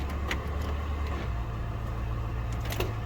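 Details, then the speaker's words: Lincoln Town Car (Panther platform) with an intermittent no-crank, no-start. Low steady hum with sharp single clicks as the car rocks back and forth in park; this is the park safety switch engaging normally. "that noise right there when near car rocks back and forth that's when you are in the park safety switch"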